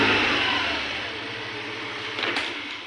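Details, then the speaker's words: Hero Pleasure Plus BS6 scooter after injector cleaning for a misfire/jerking at 30–40 km/h: short throttle blip rises cleanly and settles back with no stumble or misfire; problem solved, normal running. "इसलिए आप देखें। यह चिकना है। शुरू करना . Sound quality भी अच्छी है। बहुत अच्छा।"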